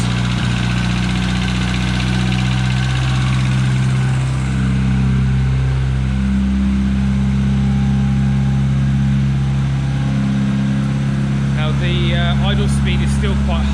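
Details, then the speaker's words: MG Midget with K-series engine swap, original exhaust, before first drive: steady, even hum with idle held too high; owner suspects ECU isn't reading coolant temperature, OBD diagnostics planned. "the idle speed is still quite high and I think that's because it's not reading the coolant temperature properly"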